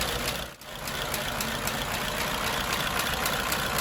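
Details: 1934 Ford Model BB dually truck, 89-year-old flathead V8, after adding electric priming fuel pump for hard starting after sitting; steady even idle with light regular patter, no misses or knocks; healthy.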